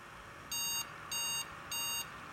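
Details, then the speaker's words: Asus Zenith Extreme X399 Threadripper board with Corsair Dominator DDR4-3000 sticks (64 GB): three short, evenly spaced beeps then shutoff; memory error code, won't boot past RAM beyond 32 GB. "all right lights and we get three beep code shuts off on"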